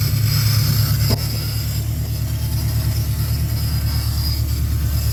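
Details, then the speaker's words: 1979 AMC AMX that left the owner stranded on the road: heavy low rumble with an irregular loping beat near three per second at idle, rough; owner suspects a gigantic vacuum leak, not confirmed. "sounds like it's got a gigantic vacuum leak"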